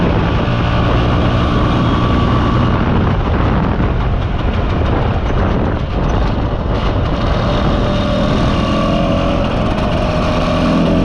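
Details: Mostly original Spanish Lambretta Jet 200 (Serveta) two-stroke on test ride under load after carb slide cutaway changed from 1.2 to 2.2; strong continuous drone, steady pitch, no stutter or popping; mid-range flat spot cleared.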